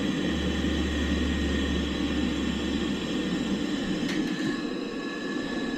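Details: Boiler after new air pressure switch (earlier control board and venturi replaced), hot water demand from kitchen faucet: ignited instantly, steady low burner roar with even hum, no surging, banging or whistling; normal operation.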